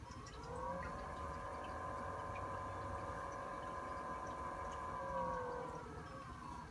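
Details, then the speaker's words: Maxspect Gyre XF 230 pump on Red Sea Reefer 250, pulse mode compared with Vortech MP40: whine climbs in pitch over about a second, holds, sweeps down; Gyre motor noticeably louder than MP40 whenever speed ramps. "Now, I don't know if it's coming up on the camera, but the gyre is substantially louder than the MP40."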